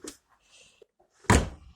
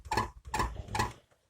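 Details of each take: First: Renault Logan door after fixing creak with homemade syringe bushings on lock retainers plus silicone grease: repeated solid thunks opening and shutting, clean latch catch, no creak or squeak; quiet door latch after repair. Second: Renault Logan door pushed by hand: three sharp metallic squeaks about half a second apart, rattling on gravel and rough roads after a summer of bad roads; worn door lock striker, fixed with homemade bushings.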